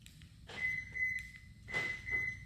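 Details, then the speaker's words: 2007 Toyota Prius, smart key remote tested after replacing its CR2032 battery: two short crisp chirps, then another pair a second later, as the car locks and unlocks; remote and keyless entry working normally. "You can see it, and hopefully you can hear it. Now it's fully locked."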